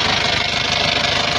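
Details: Isuzu Panther Touring diesel at idle, arrived with rough engine and oil leaks: rapid steady tek-tek ticking about fourteen per second over diesel clatter, something loose knocking inside; engine ticking.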